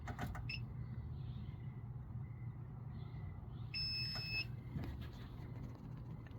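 One steady high beep lasting under a second over a low background hum as the unit powers up; a normal startup.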